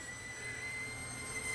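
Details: Hitachi DV-PF74 VCR squealing steadily near 2 kHz over the tape whir while playing, from tape oxide sticking to plastic tape-guide parts, with worsening picture.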